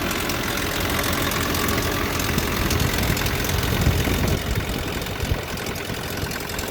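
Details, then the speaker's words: Nissan pickup with blown head gasket, just started after snow-packed blizzard sitting, warming up: lumpy uneven idle with irregular low thumps and faint rattle, timing chain noisy since gasket blew, alternator unhappy; misfire from blown head gasket. "Yeah, all that started making noise at the same time as the head gasket blowing, so it's a nice sound, isn't it? I guess I'll let it warm up here a bit. Yeah. 2.3 cylinders came to life there."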